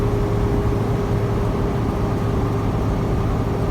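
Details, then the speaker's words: 2019 Jayco Seneca Super C diesel motorhome climbing Raton Pass on I-25: a deep, steady drone near full power, losing power on the grade and dropping into third while holding around 40 mph; engine under heavy load. "So now we're starting to ascend. You'll start to hear the engine, a little bit of stalling. It's starting to lose some power there."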